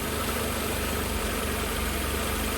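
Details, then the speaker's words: 1988 Mercedes 190E W201 after valve stem seal replacement, no longer blue-smoking: steady idle with faint shaking but no misfire, even on acceleration; slightly uneven idle, owner suspects air pipe adjustments and idle speed setting. "Okay, that's actually idling fairly smoothly. It's kind of shaking a little bit. I think that's more to do with no longer a misfire, but some adjustments on the air pipes here and whatnot, because obviously I"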